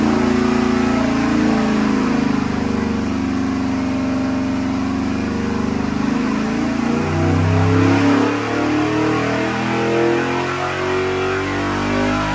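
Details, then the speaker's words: Fuel-injected big-block 1970 Nova on the dyno after the vacuum leak was fixed: a wide-open-throttle pull with the roar building cleanly, no popping, making about 442 hp. It goes lean above about 6400 rpm with the injectors at 100% duty cycle. "I was going to say that sounded pretty good what' it make Bob 442 I believe not bad not bad"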